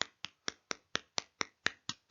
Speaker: Now, if we take a radioactive source close to a Geiger counter, it records more activity. And it does that by clicking more.